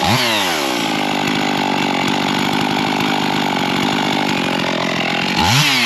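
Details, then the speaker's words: Older Husqvarna 55 Rancher chainsaw after a carburettor repair, chain sharpening, new air filter and new plug: it cuts hickory with a high, steady two-stroke howl that holds its revs and throws good-sized chips. Normal cutting under load. "okay what I do like to look at is both size chips and all are coming out of there it's got some good looking chips it's not just a fine sawdust so that's a good piece of uh Hickory actually so that's uh cutting well"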